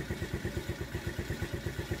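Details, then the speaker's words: TaoTao 50cc GY6 four-stroke scooter after carburetor replacement: very slow, lumpy, weak idle about to cut out, picks up with a little throttle. Bogs on throttle, inconsistent running. "now it's running but it's running very very you know it's about - it's about to cut out I can pick it back up I give it a little bit a little bit of throttle"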